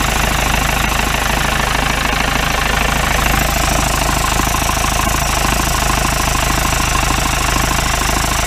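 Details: 1953 Mercedes 170D (W136) four-cylinder diesel, once-seized restoration project, idling and recorded at the rear: steady, hard, rapid clatter about three knocks a second; cleared up a little; owner suspects it needs new injector nozzles, cause unconfirmed.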